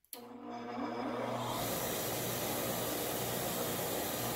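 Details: Old restored IR bench grinder, suspected of overheating under heavy use, after fitting a replacement 5 MFD 330 V capacitor: motor hums on start, spins up in about 1.5 seconds, then steady even whir; runs normally.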